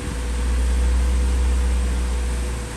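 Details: High-mileage 2000 Acura Integra GSR, B18C1 engine, started after compression test with plugs refitted: catches quickly and settles into a smooth even idle, steady low hum, no knocks or misses; distributor good, normal idle.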